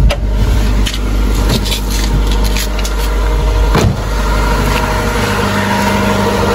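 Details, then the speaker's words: Honda Civic idling high around 1,500 rpm with foot off the accelerator: note rises and sags every few seconds, RPM fluctuating; unstable hunting idle, still to be fixed, rodent-chewed wiring also present. "Pansin nyo yung RPM, pakinggan ninyo, naglalaro siya. Unstable idle."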